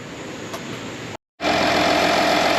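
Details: 2013 Audi Q7 TDI after alternator replacement, charging 14.2 V at about 10 A at idle, battery weak: diesel holds a steady, even idle with a faint constant whine and no knocks or misses; normal idle.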